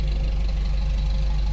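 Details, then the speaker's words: Toyota truck with brand-new engine and new clutch, idling: steady low idle with fast, even light valve ticking on top; the valves can be heard rattling even though it's new — valve train ticking, cause not confirmed. "Still sounds like a Toyota. Yes, it does. I can hear all the valves rattling around. Yeah. Even new."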